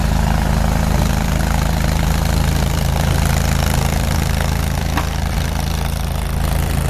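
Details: Farmall Super C tractor idling after a cold start at -5°F (25 windchill), kept on a battery maintainer, needing starting fluid to fire; heavy, low, even chug about four beats a second, no knocks or misses, normal idle.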